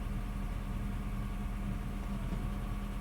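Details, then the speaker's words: Honda Fit, 241,194 km, robotized gearbox after repair: steady even idle with low hum, no clunk or grind as gear goes in, engaging cleanly; normal gear engagement. "Нормально, слушай, прошла. Все хорошо. Ну все, езда осталась."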